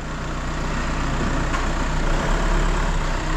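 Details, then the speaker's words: Used car after some engine work, at idle: steady, even low rumble with no knocks, misses or rattles; engine idles smoothly and sounds healthy. "jak on ładnie [Aplauz] chodzi tu oczywiście silnik też żeśmy troszeczkę ogarnęli"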